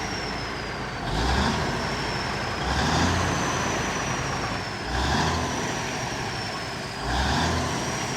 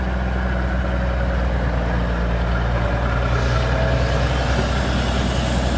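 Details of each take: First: Kenworth twin-steer truck diesel, fuel pump previously stuck: climbs cleanly through four quick blips and drops back each time, revving freely in a way it could not for years; normal free revving. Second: Kenworth twin-steer truck diesel: steady even idle sitting noticeably fast without dropping back; revs held up because the PT fuel pump shaft is a bit tight.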